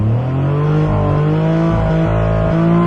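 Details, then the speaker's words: Engine revs out high and steady right after starting instead of dropping to idle, with smoke; throttle cable very gunky and sticking, seemed freed up afterward. Car previously a no-start. "you could hear it was really revving out high rep and it's because the throttle cable is really gunky but it seems like it's freed up now"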